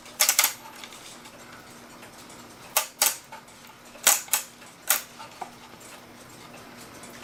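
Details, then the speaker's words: Pre-1970 one-day cuckoo clock being wound: scattered bursts of sharp clicks and clatter as the chain jumps and sticks up inside; cause suspected, not confirmed. "the chain stuck up in there because it's jumping"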